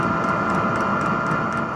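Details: Cheap diesel air heater in a VW T4 Syncro van, refitted with a smaller 22 microliter fuel pump in place of the 65. Steady combustion roar, high fan hum and regular pump ticking. Smoke is much reduced and the heater runs normally.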